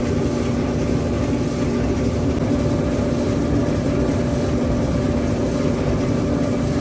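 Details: Old Maytag dryer running on a natural gas line after repair, now heating well: a steady, even rumble with a constant low hum and no knocks or scraping. Any odd noise is suspected to come from oil after long disuse.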